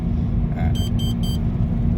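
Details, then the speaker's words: Mazda 2 Skyactiv on the road, heard around 80 km/h while slowing: steady low hum over road rumble with brief chirps; howl traced on the lift to a failed right rear wheel bearing. "แต่เริ่มความเร็วรถลงมาเริ่มได้ยินนะครับอยู่ในช่วงประมาณ80อ่าจะได้ยินเสียง"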